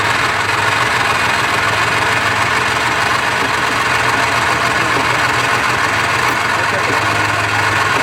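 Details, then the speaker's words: Subaru Forester at idle: uneven ticking chatter over hiss, engine visibly shaking; unusual engine noise, broken engine mount suspected. "It's not supposed to shake around like that. Yeah. That's the problem. I think your mount broke off, though."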